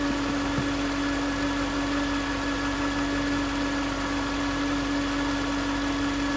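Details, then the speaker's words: 2009 Range Rover Supercharged 4.2: steady high-pitched whine over even engine hum; stethoscope on the alternator housing pinpointed the alternator as the source, no engine codes; alternator replaced. "It was obvious that that's where the whine was coming from. And so, it's a pretty simple process."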